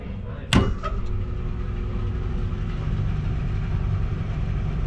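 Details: Newly installed Baldor 3 hp motor on a 4-pipe fan coil unit, checking rotation: one thump at start-up, then a smooth, even low hum with no rubbing or squeal; fan motor running healthy.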